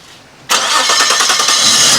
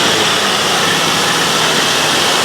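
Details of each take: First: Nissan Skyline R34 (RB25), first start after sitting five years, with a new fuel pump: the engine catches abruptly and roars with a faint high squeak; the owner thinks a cold-start valve causes it, a common RB25 issue, unconfirmed. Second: Nissan Skyline R34 running for the first time in five years after a fuel pump replacement, battery charged by solar panel: a steady hiss and rush with no knocking, ticking or misfire; a smooth, even idle.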